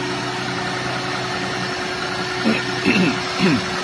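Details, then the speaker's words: Perodua Kancil at idle after tappet valve clearance adjustment, previously loud tapping: steady even idle, smooth hum, no top-end tapping; valves quiet, normal idle. "Sepek dah tak bunyilah kan. Ha nampak bila idle dia tak ada kuatlah bunyi."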